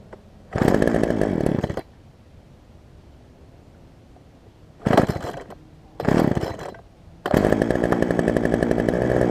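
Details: Poulan Pro 18-inch two-stroke chainsaw after carburetor work (fuel line had been pinched between carb and engine), bar and chain refitted, cutting a log; fires and runs in short bursts with a crisp buzzing note; runs clean.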